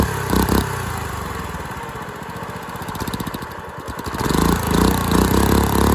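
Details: Dumpster-found go-kart engine, missing valve-cover parts, large rear main oil leak, running unloaded: ragged single-cylinder surging and stumbling, irregular firing about three beats a second; rough running, owner suspects timing and probably valve lash.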